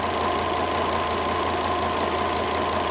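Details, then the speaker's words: Volvo XC90 T5 five-cylinder at idle after a failed ignition coil was swapped for an aftermarket coil, misfire cured: a steady, even hum with no skipped beats, all five cylinders firing. "All the difference in the world. It sounds like that normally. The 5-cylinder."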